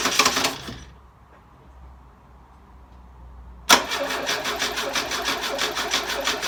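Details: Carburetted engine after sitting six months: short burst of cranking, a pause, then several seconds of steady cranking without catching; hard start.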